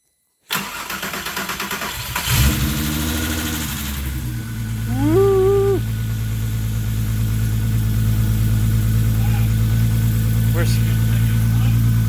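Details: VW MK4 GTI VR6 engine, first start after being reinstalled, some fluids such as brake fluid still missing, after a prime crank: brief cranking, catches within two seconds, a quick rev, then a steady, even idle; starts and runs healthy.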